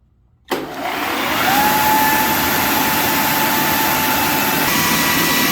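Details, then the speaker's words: Big Joe Tool ShopSmith Mark V model 500 clone after replacing a narrow, worn drive belt: smooth steady motor hum and even whine settling at full speed, no slapping or slipping, slightly faster than with the old belt; normal running. "Me liking that little bit of difference. You hear it there where I actually got more speed out of it because the belt wasn't as worn."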